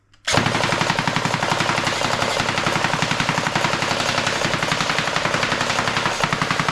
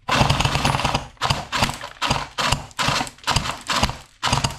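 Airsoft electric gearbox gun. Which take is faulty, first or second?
second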